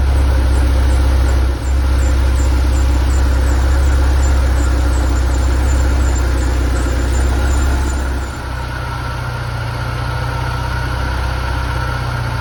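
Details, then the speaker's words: Porsche 968 cabriolet, flood damaged, first start after sitting, battery weak and on jumper pack; steady, even low idle with smooth rumble, no knocks or squeals; runs well, normal idle (alternator later appears not to charge). "she runs phenomenal and she sounds good [Music] there we go"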